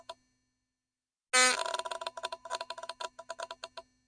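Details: Philips Sonicare electric toothbrush in for repair, with badly soldered wires and a loose screw inside: sudden burst then fast irregular clicks crackling over a steady buzz, like a Geiger counter; repairer suspects the coil, not confirmed.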